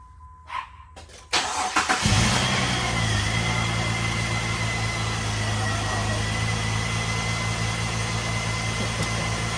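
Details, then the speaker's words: Jeep Liberty engine after valve cover seal work, first start after two years sitting: short crank, catches at once, settles into even idle with good throttle response; normal start and idle. "Oh, okay, okay. Sound pretty good. Good throttle response."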